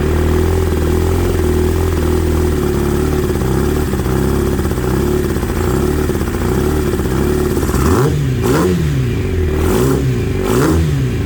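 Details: ZX9R motorcycle that had sat 10+ years, first start on 2-cycle gas fed directly, fuel shut off and running the bowls dry: uneven, lumpy idle with throttle blips and a vibration felt in the handlebar; abnormal sound, cause unclear.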